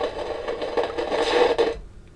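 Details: Kaiser W1835 tabletop radiogram, German valve set: irregular scratchy crackle over the audio for nearly two seconds, then gone; signal tracer finds noise persisting back through the audio stage, source suspected, not confirmed.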